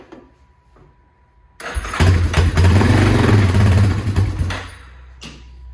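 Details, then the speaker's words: 2001 Yamaha Warrior 350 ATV, no start after sitting: single fires up on starting fluid with fuel off and choke on, runs roughly a few seconds, then dies; fuel reaches the carburetor but not the engine, stuck carburetor float needle. "Okay. So it fired right up with some starting fluid, so we know we're getting gas to the carburetor, but we're not getting fuel from the carburetor into the engine."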